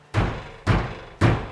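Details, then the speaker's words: MK3 Toyota Supra door, latched and closed, thumped three times, each followed by a loose buzzy internal rattle; worn foam on the lock bar found contributing to the door internal rattle. "hopefully you can hear that the door is closed it's latched it sounds terrible so I'm gonna play around in here see if I can find exactly where that rattle is coming from"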